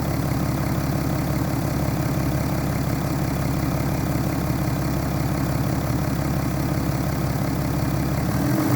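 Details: 2011 BMW F11 530xd, N57 diesel at 367,000 km idling: dull, steady knock about three times a second under the diesel clatter; rod knock from a worn rod bearing.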